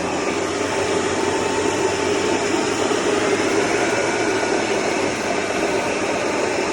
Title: BMW N55 535i XDRIVE ATC 35L TRANSFER CASE GRINDING NOISE INPUT SHAFT BEARING